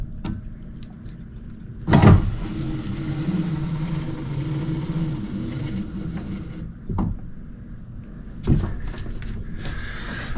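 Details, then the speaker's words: Squarebody Chevrolet C10 power window motor, door panel off, key on, switch reseated; clunk, then steady motor whir for several seconds and another clunk as it starts working; window previously didn't go up well. "Maybe to fix it better, but just setting it in there. You can hear it's starting to work."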